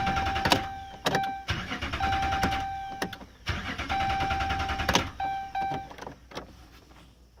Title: 2011 Ram 2500 Hemi won't start..sick of this